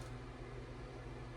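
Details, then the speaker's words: Late-1960s handmade RF amplifier with an Eimac 4CX250B tube, brought up on a Variac at about 50-75 V: soft, steady low hum with a faint airy rush, no ticks or rubbing, as the cooling fan spins up; normal fan running. "Let's see if the fan's coming on. Yeah, I've got a little fan action coming on."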